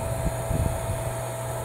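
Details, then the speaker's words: Meyer water pump of about 1.5 hp, after repairing the broken cover over the centrifugal switch: an even hum with a steady tone, starting without help and with no clicking. Normal running; before the repair it vibrated and buzzed on connection. "mira como enciende no necesito no necesite hacerle fuerza ahí"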